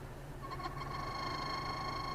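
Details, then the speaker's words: 2007 Chrysler 300C 5.7 Hemi, interior blower fan: a thin steady whine near 1 kHz over the airflow rush as the blower spins up, then the noise goes away. "The fan makes a little bit of noise. Oh, it went away."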